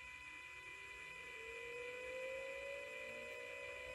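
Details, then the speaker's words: 2006 Ford Escape Hybrid after sitting two months, ignition on: faint electric whine rises smoothly as the coolant pump spins up, then holds over background hum; normal coolant pump operation. "now you know you have fluid running through that system and keeping it cool"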